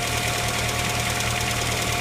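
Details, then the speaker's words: Neglected one-owner car, rarely oil-changed, oil possibly low; steady idle with light fast tick over the engine, suspected noisy lifters — ticking at idle. "let's take a look under the hood it's kind of bit of a wrap sounds to me like it could just be lifters"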